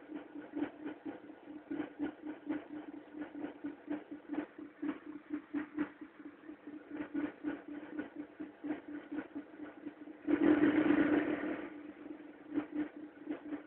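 A light rapid tick, roughly three or four a second, over a steady idle hum. It is a cold-engine tapping of unknown origin.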